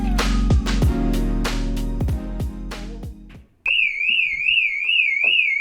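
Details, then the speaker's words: VW Polo 6N2 off the road for six years: a loud wailing siren sweeping up and down about twice a second without pause; the unexpected car alarm is sounding and needs disconnecting. "I didn't know this thing had an alarm so I don't know if you can hear me over the bloody annoying alarm but we need to disconnect it"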